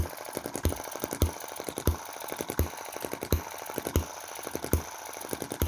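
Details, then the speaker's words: Cheap Chinese M19/EM2 hit-and-miss engine after shaft straightening and tuning, started by hand: sharp firing bangs roughly every two-thirds of a second with light ticking while coasting. An even, healthy rhythm, with less smoke than before. "now that i've got it running really well well it's my beautiful little star again."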